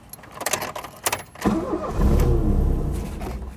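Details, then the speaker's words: 1982/83 Ford Escort Mk3 1.3L: starter gives a couple of dead clicks without engaging, then after smacking the starter motor with a bicycle pump the engine cranks and catches on a low roar. "Smacking the starter motor with a bicycle pump worked a treat."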